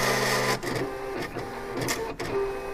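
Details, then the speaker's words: Silhouette Cameo vinyl cutter cutting HTV heat-transfer vinyl for a T-shirt: stop-start buzzing and whirring of the small stepper carriage with short squeaky tones as the head moves. Sounds horrible but is a normal cutting run. "Doesn't that sound horrible? I mean, it's doing what it's supposed to. It's just, it sounds terrible."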